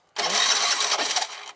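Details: 2007 Piaggio MP3 that ran when dropped off and now won't start: a short ragged burst of firing on carb cleaner spray with the throttle slightly open, then it dies. Fuel starvation suspected, possibly a blocked carb or a split intake hose.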